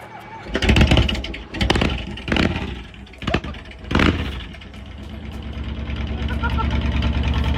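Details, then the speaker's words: Kawasaki VN2000 V-twin (almost 2100cc) cold start after sitting a couple of months in very cold weather: catches after a few stumbling blips, then settles into a steady loping cold idle; sounds good. "Sounds freaking good, dude. Finally. Sounds good. Dude, it's so cold."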